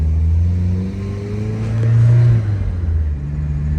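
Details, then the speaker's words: Supercharged Mazda Miata, after repairs, on boost with a good AFR: smooth, even engine note under light throttle, no blower whine or scream; running perfect. "Oh yeah, let's go make some boost. Can't get much sweeter on the AFR. She's running perfect again."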